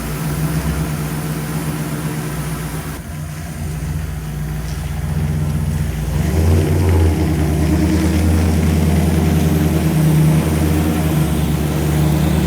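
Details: V8 pulling away on its maiden voyage around the yard after the idle was brought down: even idle building smoothly, no stumble or hiss; transmission shifted well, motor sounds good.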